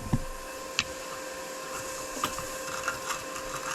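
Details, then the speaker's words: Forney 20P plasma cutter on 85 psi air with a new tip, well grounded on 1084 steel: relays click irregularly over a steady fan hum with no arc hiss, and it never strikes an arc; later traced to dust and cobwebs, gun replaced. "and you'll hear the machine click right there that's all the spark i get if you listen you can hear it sounds like relays clicking but"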